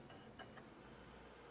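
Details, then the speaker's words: Panasonic DMP-BD80 Blu-ray player not reading all Blu-ray discs: faint irregular ticks over a low drive hum as a disc loads, the laser pickup hesitates and its lens bumps the disc, indicating a bad laser pickup needing replacement. "the laser pickup um it's hesitating and you can even hear um i don't know if you can hear it but uh you can hear the the lens is bumping on the disc so what that usually means when it is doing that uh it's a bad laser pickup"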